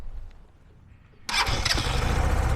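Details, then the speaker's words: Rutec Cargo 125 fuel-injected motorcycle, about one month old, after sitting a week unused: quiet, then catches at once and settles into a steady, even idle; starts readily, even in cold weather; clean healthy start. "çalışıyorum otur hiç sorgusuz sualsiz sessiz sessiz çalışıyor kendi kendine ne soğuk havada geçti"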